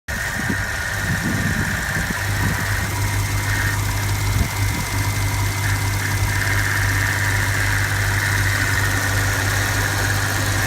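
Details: 2004 BMW 645ci N62 V8 idling: steady low drone with a faint, wavering high-pitched whine, an abnormal noise of unclear source.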